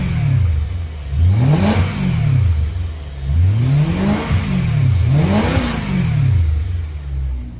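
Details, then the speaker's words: BMW E92 M3 engine revved three times, thin faint whistle over the roar rising with revs; owner suspects an intake vacuum leak, possibly an improperly seated plenum, not confirmed. "So, yeah. Hopefully you guys can hear that whistling. Not sure what that is. Um, does sound like there's some sort of intake vacuum leak somewhere."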